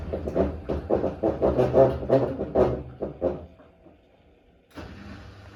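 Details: Hotpoint WD860 washing machine, badly unbalanced load, end of spin: uneven thudding about three times a second as the drum spins down, a pause, then a low hum; strange noise, cause not clear.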